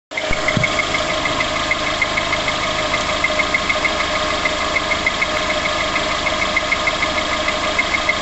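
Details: Vehicle identified only as VX19: light, quick ticking about three per second over a steady idle just after start-up; a top-end tap whose cause is not pinned down.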